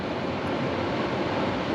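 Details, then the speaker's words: Indoor AC blower motor switched on during cooling troubleshooting: smooth steady rush of air with no knocking, rubbing or squeal; blower running normally, small line felt cool, no refrigerant flow felt, electrical fault hoped. "sounds like a blower motor it is on running pretty good"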